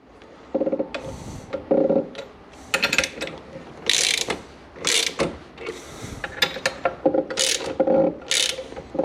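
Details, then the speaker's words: Aprilia RS 125 Rotax 122 engine during crankcase separation: short squeaks in bursts as cases are rocked back and forth, the bearing slipping over the crankshaft; normal if not too loud. "gonna hear it squeaking. That's just the bearing slipping over the shaft. So that's completely normal. It shouldn't be too loud though."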